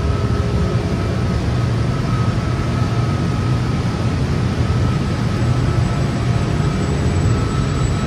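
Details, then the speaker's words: York 800-ton electric centrifugal chiller, R-134a, startup in live machine room: steady deep roar with constant high tone, even and unbroken as compressor starts and spins up; sounds healthy. "now we can hear the machine start can hit a compressor start our spin"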